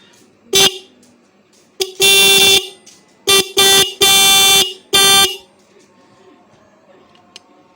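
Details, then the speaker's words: Bike/car horn after overtightening the adjustment screw: short, harsh, buzzy blasts, some cut off abruptly; fix is loosening the screw gradually while testing. "यह दोस्तों बिल्कुल खामोश है ठीक है जी"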